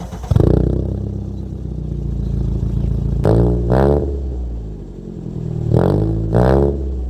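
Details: Toyota Corolla with high-idle and overheating history, after distributor timing was changed: engine runs unevenly with lumpy low firing and surging revs, no power at all, not drivable; rough running from incorrect ignition timing.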